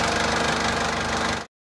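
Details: 2004 JCB 2CX (212S) with Perkins Tier 2 diesel at idle after the electric lift pump was replaced: an even clatter with no stumbles or knocks before shutdown. The sediment bowl now stays full. Normal diesel idle.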